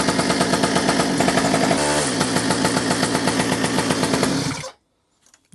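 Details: Restored two-stroke mini moto, hot day: steady small-engine buzz, stumbles briefly but keeps running, then dies. The faulty kill switch only partly cuts ignition.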